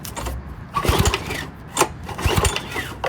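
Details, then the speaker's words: Old Briggs & Stratton push mower engine, choke on and throttle raised: several pull-start bursts die away with no firing; turns over but won't start, owner suspects carburetor or fuel. "And let's just see if she cranks. Nothing. Turn off."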